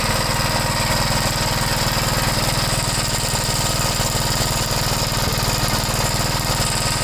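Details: 1973 Gravely C8 after replacing the oil pump cover seal and gasket, run to check for drips: steady, even single-cylinder chug at fast idle with no knocks or misses; normal running.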